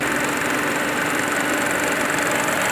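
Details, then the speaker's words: Ford EcoSport 1.0 petrol with a P0301 cylinder-1 misfire, rough idle and vibration, after the fix with AC on: steady, even idle with no stumble or shake, running clean on all cylinders, vibration gone. "कि कोई अपना engine start है ऐसी own है लेकिन अपना vibration को खत्म हो गया"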